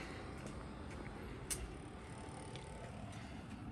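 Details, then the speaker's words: 5k all-aluminum Chinese diesel heater after shutdown, fuel pump off, combustion intake/exhaust and fan still running, no smoke: steady soft airy whir without pump ticks or combustion roar; normal cooldown fan run. "The fan's still spinning. Basically, like I said, it's a cool down cycle. No smoke still. It's just pulling in air right now, doing its cool down cycle."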